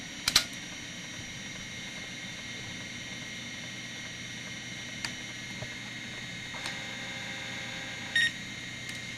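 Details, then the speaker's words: MICATA MBVLSI-168 AMD 286 system running a hard drive performance test: sparse faint head-seeking clicks over steady fan hum with a few beeps; old hard drive working normally. "be able to hear it there in the background and there's seeked as is a really fun one and we're putting little details doing sequential right now and you might be able to hear it hard drive light basically mimics that"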